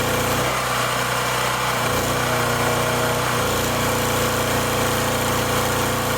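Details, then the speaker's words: Wen Power Pro 3500 watt generator, revived after about 15 years sitting, with a new replacement carburetor: steady even drone, constant pitch, no misses or surging; running fine, though voltage output reads too high. "Fire it up, and that $12 carburetor seems to be working fine."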